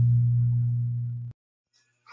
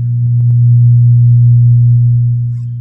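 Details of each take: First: LD Systems Curve 5 active indoor speaker at full volume, after cleaning wet, rusted volume potentiometers: steady low hum with the audio input open, the normal residual hum now that the loud hum is gone, then cuts off. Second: LD active speaker at full volume giving a loud steady low hum, a ground loop in the amplifier; the hum disappears when the board is touched.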